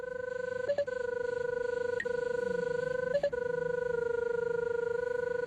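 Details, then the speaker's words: RIDGID SeekTech SR-60 line locator tracing a line: steady pulsing tone broken by a quick higher double beep as the guidance arrow passes over the crosshair, meaning the receiver is centred over the traced line. "the guidance arrows also have special audio tones associated with them when the signal is on your right you'll hear the normal audio tone when the arrow passes over the crosshair you'll hear a double beep"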